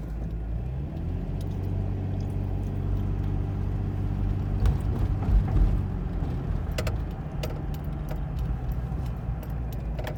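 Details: Nissan VG33E engine with a knock sensor code: uneven loping idle that surges and sags, keys rattling from the shake; rough idle attributed to the knock sensor fault.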